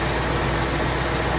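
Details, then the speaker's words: 1978 Jeep J20 4x4 plow truck bought at farm auction, warm cab with heater blowing: short stretch of steady, even low idle with no misses, knocks or ticks; old engine running well. "that's a good running engine"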